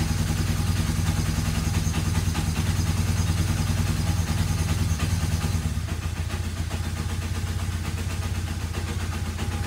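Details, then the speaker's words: Free, rusty Kawasaki KZ750 motorcycle, first start after a shot of carburetor cleaner: steady, even low rumble with no knocks or misses over ten seconds. It runs smoothly and doesn't sound terrible. "yes started up actually doesn't sound terrible you know"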